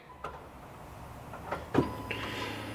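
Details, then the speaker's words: Jeep Cherokee XJ with O2 sensor codes P0138/P0141, at key-on; a short steady hum for about 2 seconds then cutting off, the fuel pump priming normally. "There you go, it comes on for like 2 seconds and shuts off, and at the same time you can hear the fuel pump priming."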